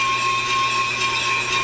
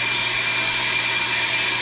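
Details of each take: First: On-car Pro Cut brake lathe machining a brake rotor: a steady high ringing tone over the cutting noise after the arms are locked down, lathe chatter from vibration. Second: Pro-Cut on-car brake lathe machining a brake rotor with the chip deflector fitted, which damps vibration: a steady high-pitched cutting hiss over a low even hum, no ringing or chatter, so the lathe is taking a clean cut.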